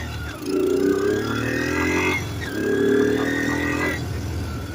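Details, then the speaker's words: Kawasaki KLT160 mini Prairie Dog ATV, revived after years sitting: two clean rev-ups dropping back to a steady idle, no knocking or misfires, running really good. The idle screw is missing its spring. "Yeah, but it's running really good."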